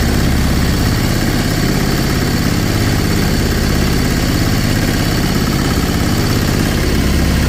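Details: Sailboat diesel inboard conversion (version 3.0) with new belt drive, much quieter with less vibration: even low diesel chug, steady rhythm, no knocks or rattles; normal smooth idle.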